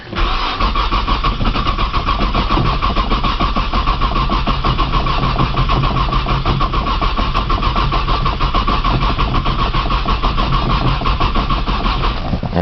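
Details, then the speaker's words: 1995 Nissan Maxima, 210,000 miles, push-button start, in snow and cold, new battery, after about 3 minutes total cranking; steady fast cranking whir over ten seconds, never firing; owner suspects a bad sensor; long crank, no start. "she does not want to crank today it's a good did for y'all I don't think she going to crank"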